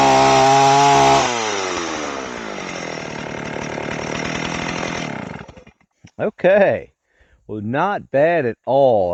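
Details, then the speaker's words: Old Stihl 038 AV chainsaw after a carburetor swap, mixture screws started at 1¼ turns out, test run: steady high scream that sags and burbles as revs drop. Running far too rich; owner notes it was not lean before and plans to check the crankcase. "I think the carburetor's going to need a little bit of tuning."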